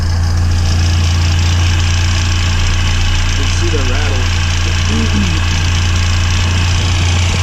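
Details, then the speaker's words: Mini Cooper S R53 at idle with a failing belt tensioner: a loose, uneven rattle about three times a second over a steady idle; tensioner replaced and upgraded with SuperPro bushings. "And now two, the belt tensioner, and now it's making noise, as you can hear right now."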